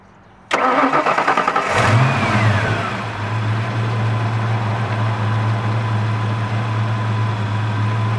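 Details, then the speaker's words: 1992 Mustang LX V8 after new plug wires, coil, cap, rotor, platinum plugs and MSD setup: quick crank, catches, flares up, then drops to a smooth, even idle with a steady low rumble; normal start and idle. "all right she's sounding good we're gonna go take her for a test drive uh just keep an eye on your rpms make sure they're not jumping or anything like that"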